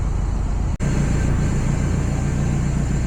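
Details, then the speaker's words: Miata with 1.6-to-1.8 engine swap, homemade intake, throttle body spacer leaking: slow, heavy pulsing idle holding only 500 RPM with the idle valve fully open and running extremely rich; idle valve not working, possibly from sitting. "okay so it's holding 500 RPM with the valve all the way open it is also extremely rich"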